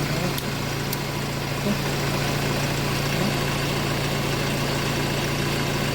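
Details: 2007 Honda CR-V 2.2 diesel idling after the alternator was restored with a new clutch pulley and refitted: even idle with steady low clatter, no squeal or whine from the belt side; charging system sounds healthy.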